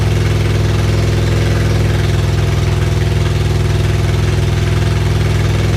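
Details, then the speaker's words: Freshly rebuilt supercharged Integra engine on first cold start after reinstall, exhaust not fitted: loud open-exhaust idle with steady even pulse, no ticking or knocking; healthy. "it's running I don't hear any knocking I don't hear any knocking it's loud but I didn't hear any knocking from the engine"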